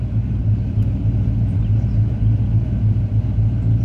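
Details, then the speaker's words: 2003 Ford F-150 V8 with 240,000 miles, after Sea Foam Spray throttle-body cleaning and a drive: low, steady, even idle rumble, now a smooth idle where it previously idled rough, shook and wanted to die. "been driving it for a little while let it run through the tank some and it is a pretty smooth idle"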